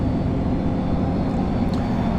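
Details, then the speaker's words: Smart SMTAH1D121Q rental industrial air handling unit at start-up: airflow switch on, blower spins up at minimum speed with steady low rushing airflow and even rumble, no knocks or rubbing; normal blower start. "So I turn my airflow switch to the on position. I can already hear that blower starting to spin and start to generate some airflow"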